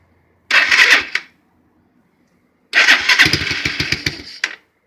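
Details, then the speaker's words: 2008 Highbird 200cc four-wheeler single-cylinder cold start: two quick bursts as it catches, the second running longer with fast sharp firing pulses, then runs on quarter choke; healthy cold start. "Okay, so it fired. 1 down. Boom. And it's on still, it's on a quarter choke still."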